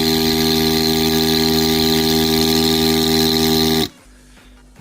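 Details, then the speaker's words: Philips PerfectDraft beer dispenser after power-supply capacitor repair, no keg fitted: steady electric hum with a few fixed tones runs evenly then cuts off cleanly; dispenser working normally. "donc c'est normal étant donné qu'il n'y a pas de bidons tous éteints voilà mais ça fonctionne youyoupi"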